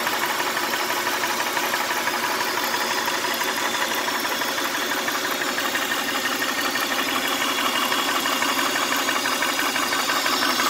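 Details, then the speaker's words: 1999 Honda Odyssey at idle: steady hiss with light pulsing about twice a second over an even idle; owner suspects a vacuum leak under the intake manifold, unconfirmed. "Does that sound like a air leak?"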